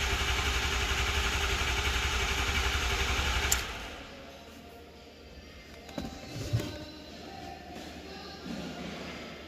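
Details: 2006 Ford 6.0L Powerstroke, 139,000 miles, after high-pressure oil leak repair: starter churns at a steady quick rhythm for several seconds without catching; expected long crank while the high-pressure oil system refills.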